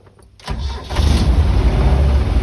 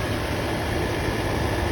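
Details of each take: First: Land Rover Series 2A on first start after a new carburetor needle and seat: starter catches and the engine runs loud and lumpy instead of idling steadily; owner suspects the choke, not confirmed. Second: Land Rover Series 2A after first start with new carburetor needle and seat, charge light now out after alternator work: even, steady low idle with no misses, knocks or hunting; running smoothly.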